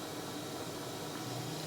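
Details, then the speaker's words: Yamaha DVD-E700 DVD player after power supply repair (diodes had failed): constant hissing static with faint wavering tones in the audio output while playing a CD; noise also present on radio, cause unknown, poor sound quality. "it is not good you hear a noise what is this noise"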